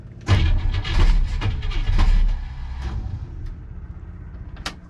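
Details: Fitech EFI '57 cold winter start after battery charging, no throttle, no boost available, loose battery terminal suspected earlier: it cranks, catches for a second or two with uneven bursts, then dies; cause unconfirmed.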